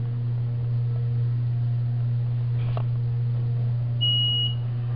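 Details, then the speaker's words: 1990 Otis in-ground hydraulic elevator with very loud motor, going up: steady machine-room hum, then a single clear high chime of about half a second on arrival; normal arrival chime. "the other one going up here we are this one actually Chimes"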